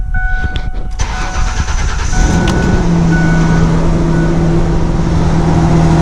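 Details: 2000 Ford Ranger just after fuel pump replacement, primed then started: brief crank, catches immediately and settles into a steady, even idle; normal start and idle.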